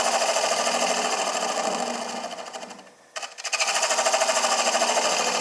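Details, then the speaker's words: Wood lathe finishing a small bowl's bottom, held only in Cole jaws with rubber buttons and no tailstock support: a fast, buzzy rattle rides on the cut, chatter from the workpiece flexing in the jaws. "cold jaw buttons are rubber and they will Flex a little bit"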